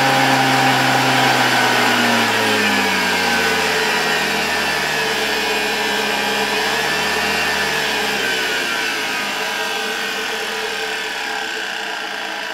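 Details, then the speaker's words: 1987 Zelmer 200.8 vacuum cleaner, type 300 motor with new brushes, mounted in housing on a voltage regulator. High whine drifting down in pitch with gritty crackling hiss; brushes spark excessively as voltage rises, more than new brushes should. "Przyznaję że zaczyna mnie niepokoić to że wraz ze wzrostem napięcia Coraz bardziej zaczynają iskrzyć te szczotki i to niestety bard niż spodziewałbym się po tym że założyliśmy nowe"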